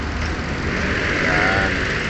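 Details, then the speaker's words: Hyundai Accent idling after splicing two broken injector wires that caused misfire and check engine light: even, steady idle with no stumble or skipped beats; misfire gone. "so start na natin yan so nawala na guys yung pamam ng makina pino na yung andar niya"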